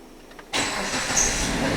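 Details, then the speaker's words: 2009 Jeep Patriot 2.4 L AWD with a no-crank/no-start complaint: brief crank catches almost at once into a steady, even idle; starter and engine working normally on this start. "oh stting crank vle starts it runs okay"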